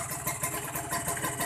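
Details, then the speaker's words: Kawasaki Ninja 150 R two-stroke after carburettor air-screw and idle adjustment, idling with no throttle: quick, even buzz with regular pulse, holding steady with no hunting or dying; idle set right. "Nah, ini suara stasioner ya, tanpa digas ya teman-teman. Nah, kita tanpa digas, suaranya lebih kencing guys."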